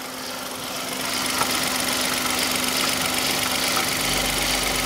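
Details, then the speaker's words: 2015 Hyundai i10 1.0 litre at idle: a steady, fast mechanical shushing "chun chun" rattle of about four beats a second that persists with the belt removed and has worsened over time. Suspected stretched original timing chain, which was then replaced. "so I can hear a chun chun chun junka junka junka junka junka yeah it's got worse actually when you first could hear it you you sworn that was a belt so that noise now it does sound mechanical"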